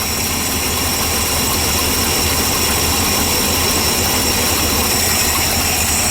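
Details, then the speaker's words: 1978 Ford F-700 V8 with a stock cam and new plug wires, carburetor mixture screws turned out 3/4; steady idle with an uneven loping, popcorn-like beat and a lot of hiss, running rich, smoky at the tailpipe, and rough at idle. "Oh, that sounds neat. But that doesn't sound better. It shouldn't sound like popcorn popping."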